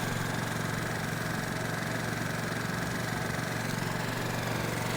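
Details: Peugeot Looxor 125 4T scooter with Piaggio Leader 125 engine, started in winter on a fresh battery: steady, even single-cylinder putter of about four beats a second with no misses or knocks; normal idle.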